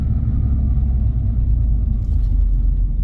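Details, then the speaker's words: Jeep Renegade with a broken motor mount and a stored cylinder 3 misfire: deep, uneven droning rumble as light throttle is blipped and released; owner suspects the broken mount is grounding out and adding to the noise. "I can't determine exactly what the noise is with that mount being broken because maybe that mount is grounding out here listen like I'm giving a little [Music] gas let go you kind of hear"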